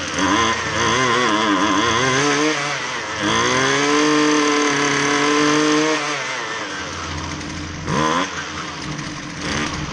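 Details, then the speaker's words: Husqvarna 128LD string trimmer with edger attachment that only ran on half choke, after carb refresh, carb screws being adjusted: buzzy two-stroke revs and settles cleanly with no misfire or surging; normal running. "the end of the video here you'll just see me messing around with the carb adjustment screws a little bit trying to get it close"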